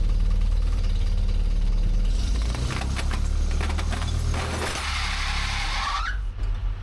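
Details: Terex carry deck crane, sold as not running, cranked with ether sprayed in: a heavy low rumble of the engine turning over and trying to catch for several seconds, then fading out; cranks but won't start.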